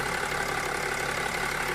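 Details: BMW X5 E70 with M57 diesel at idle: an even, steady clatter. The filler-neck knock comes from the floating coupling of the camshaft-driven vacuum pump drive and is normal, not a fault.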